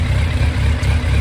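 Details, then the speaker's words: 2001 Yamaha FZ1 four-cylinder after carburetor rebuild for fuel leaking, warmed up with choke off: slightly uneven, lumpy idle; intake vacuums differ between cylinders, carbs out of sync before adjustment. "so we got the bike warmed up now and once we get the choke off you'll see the differential is quite a bit different here"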